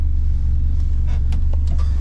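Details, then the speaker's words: 1968 Renault 8 with swapped-in 1397cc C2J engine, points ignition, Renault 8S carburetor, tubular manifold, custom exhaust, first runs: steady low even rumble at idle with no knocks or misses; normal idle. "not sure how much you can hear sounds good to me"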